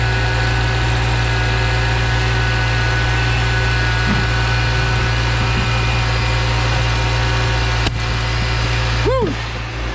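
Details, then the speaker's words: 2014 Subaru Forester after AC repair, engine idling with AC on, heard under the hood: even smooth hum, the previous noise gone, no knocking or grinding; pressures good; compressor healthy. "sounds good looks good [Music] no longer hear the noise [Music] and uh these pressures look good too"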